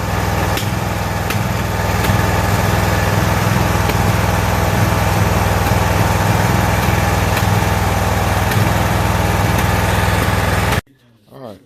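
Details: Toro zero-turn mower, about a year old, with new spark plugs, running while cutting: steady fast twin-cylinder beat with sharp, irregular backfire pops every second or so, then shutdown; cause still unknown.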